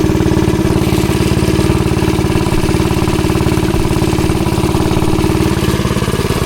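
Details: Ghost engine on the "Green Ghost" mini bike, test ride after trying to fix kickback and hard pull-start: fast, steady firing held under load with no misses or knocks; sounds and feels good.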